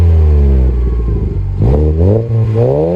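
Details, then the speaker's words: Car's new exhaust, fitted by a mechanic, replacing a setup whose catalytic converter had broken off from both sides of the pipe and caused pops; recorded outside: deep smooth rumble climbing cleanly with throttle blips, no rasp or rattle; normal exhaust note. "as you can hear it's way different because the last time before I put this exhaust on what happened was the cat of the converters was broken off from both sides of the pipe"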